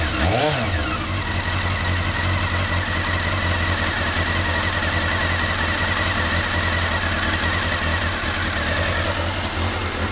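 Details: Honda CB-1 engine, cold start after sitting a few hours (it cut out with a touch of throttle), then a slightly lumpy idle with light irregular ticking that sounds tappety; it pulls smoothly through the revs and the cause is not pinned down.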